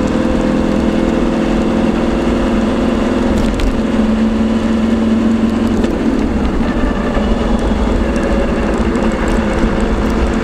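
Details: LT230 transfer case heard with sound proofing fitted: steady mid-pitched whine over road and engine rumble while driving, pointing to a whining transfer box.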